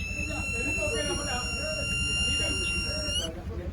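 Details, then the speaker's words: Fluke 116 multimeter that won't power on, fed from a 9 V battery, with no visible shorts or burns and nothing hot: a thin, steady high-pitched whine for about three seconds, then it cuts out. The sound changes when switched on, but the display stays dead; cause unknown. "Now if I go ahead to switch it on, it changes sound, but it's not coming the fuck on."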